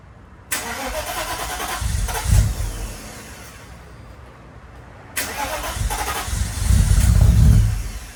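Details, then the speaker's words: 1995 Mercedes W140 S500 after converting a dual fuel pump setup to a single pump: fires twice, each time catching cleanly and revving up before settling; runs smoothly with no misfire. "well guys she is running beautifully now"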